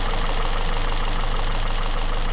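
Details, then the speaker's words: Citroen C3 after cylinder head rebuild with cam belt refitted and coolant refilled, engine started first time: steady even idle with light regular top-end ticking over a low hum, no knocks or misses, no leaks; normal healthy idle. "normal noise from the top everything sounds good nothing's leaking I think we've done a good job"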